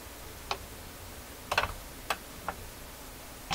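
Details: 1958 Garrard RC121 MKII turntable in Viking console stereo, after cleaning and lubricating the lower motor bearing and improving intermediate wheel traction, hands-free reject cycle: sparse light clicks, then heavier clunk as changer drops, no grinding; normal cycle.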